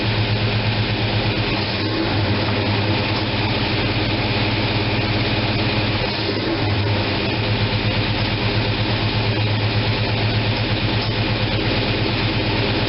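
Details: After opening the manual choke that had been left closed, the freshly fuelled engine holds a steady, even low rumble at 700 rpm with no misses or knocks.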